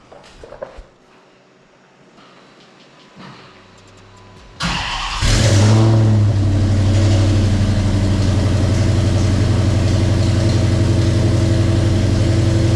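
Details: 2014 Dodge Challenger R/T first startup right after fitting budget long-tube headers and mid pipes; after a short crank the V8 fires hard, flares briefly, then settles into a loud, even, loping idle with no misfire or exhaust tick.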